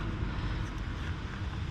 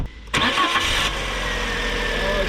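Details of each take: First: 2010 Fiat Panda 4x4 1.2 8v petrol, bought as spares or repairs, at idle with the engine visibly shaking: lumpy uneven idle with irregular thumps. Misfire on cylinder 3, with a suspect loose lead and a tracking spark plug. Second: 2010 Fiat Panda 4x4 1.2 8v petrol, about 135k mileage, after fixing a misfire by cleaning around the plug area and reconnecting the spark plug wire: cranks, catches quickly and settles into a smooth, even idle with no miss.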